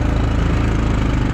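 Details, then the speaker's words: 2002 Yamaha Kodiak 400 4x4 ATV on a test drive after replacing the front left wheel bearings and axle: the engine chugs evenly, with no clunk when turning and no binding going straight. Finding: normal running, no clunk or binding from front wheel. "When you turn, it doesn't clunk anymore. Even going straight, you'd hear the binding of"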